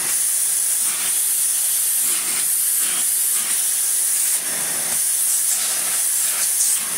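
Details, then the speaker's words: 1990s Philips Blue Magic Silence TC739 vacuum cleaner after reassembly with a HEPA-flow bag: a loud, steady high-pitched hiss over the motor's rush; air leak from an air hole, owner suspects something was refitted wrongly during reassembly. "okay there's a little bit of an air leak coming from somewhere let's take this off and see if it's something"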